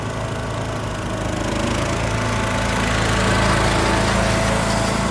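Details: Cub Cadet LTX1040 with single-cylinder Kohler Courage, after repairs from an engine fire: coil, fan, air filter housing and leaking valve cover gasket replaced, carb cleaned. A steady, even drone while mowing with no misses or knocks; running healthy.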